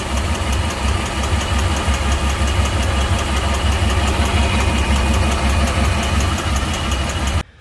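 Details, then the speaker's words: Volvo Penta 4.3 in a Regal Fasdeck boat, fuel trim codes: lumpy uneven idle with a dull recurring thump, one cylinder missing, from port side; mechanic suspects internal compression or valve issue rather than fuel. "i hear it already i don't think that's a fuel problem i think that's an internal engine problem got a pretty bad kick it's definitely coming from the poor side here too"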